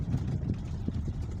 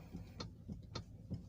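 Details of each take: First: Toyota Alphard minivan on a simulated rough road after steering repair: low uneven road rumble with no clunk or knock from the steering. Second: Toyota Alphard stationary, steering wheel turned left and right, gives dull uneven clunks about two or three a second from the steering; a common Alphard complaint that also clunks over rough roads.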